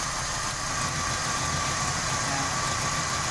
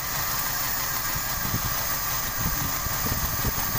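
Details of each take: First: Toyota Kijang Grand 5K/7K petrol engine idling evenly once a leaking distributor vacuum port is blocked; with the leak open the idle was uneven and limping. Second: Toyota Kijang Grand 5K/7K petrol engine idling uneven and limping, RPM abnormal, from leaking distributor vacuum line drawing air; blocking the leak restores normal idle, replacement recommended.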